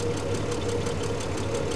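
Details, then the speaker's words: 1975 Triumph TR6 PI straight six, Lucas mechanical injection, warm idle: even idle with light, quick, steady ticking from one tappet that has always been noisy, not out of adjustment, quietens after a while; noisy tappet. "there's there's one taet on this that's always been noisy it's not out of adjustment it's just the way it is it quietens down after a little while but it's still pretty sweet"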